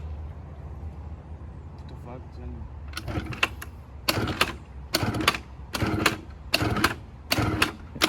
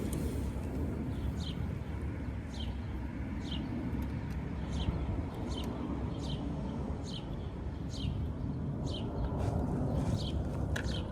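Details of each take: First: 1986 Honda Spree scooter, bought running with original carb: weak uneven idle broken by rough surges about once a second that die back; dies when throttle is added, gummed fuel system suspected, needs cleaning. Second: 1986 Honda Spree two-stroke scooter after fitting a new carb; old one thought clogged. Low, steady idle rumble, even without stumbling, birds chirping; idles perfectly and gets up to speed quicker. Normal idle.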